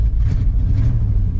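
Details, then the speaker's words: 1988 Chevy truck with new O2 sensor: low, uneven chugging idle with lumpy, irregular beats; rough idle, owner thinks it is nearly out of gas and suspects bad spark plugs and wires. "I can't get it open, but it's chugging. I think it's about out of gas. Excuse me. She's showing a little gas. I think this thing's got some bad plugs and wires."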